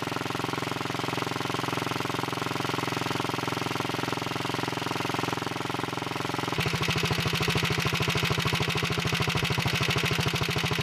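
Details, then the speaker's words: Early 1961 Wheel Horse 401 tractor engine, first run after cleanup, no choke, blown-out muffler: fires steadily at idle then picks up cleanly to a faster even pulse with no misses; smokes a little under throttle; running normally. "so [Applause] that sounds pretty good i'm gonna move the camera so you can see it smokes a little when you give it gas sometimes those things clear up when you run it some"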